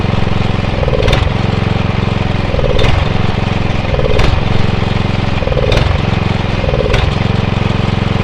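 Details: Atco Royale B24E cylinder mower engine, before carb clean: note sags then surges back about every 1.5 seconds, five times in eight seconds; hunting under load from dirty carburettor.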